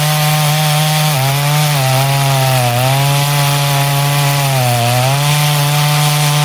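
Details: Poulan 5200 chainsaw, test cuts in wood: high buzzing two-stroke note sags smoothly with each push into the wood and recovers cleanly; normal, strong cutting under load.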